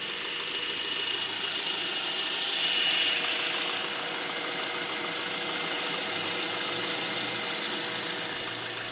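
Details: Brand-new 2012 Honda Accord LX at idle: steady high-pitched squeal or screech with faint fast chirping; dealer says it's normal, but owner doesn't hear it on another identical car; source not pinned down.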